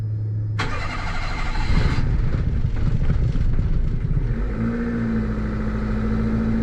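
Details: 660cc turbo-swapped Daihatsu Mira Walkthrough, start-up: it cranks and catches, then runs unevenly with ragged pulsing and a faint whistle.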